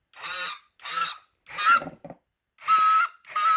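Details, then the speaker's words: Swiffer WetJet spray pump motor rusted, probably from solution left in, after partly freeing it with a nail: short bursts of rough, raspy high buzz at each button press instead of a clean whir, as the motor drags on rust. "You can hear it's really noisy. There's rust in there."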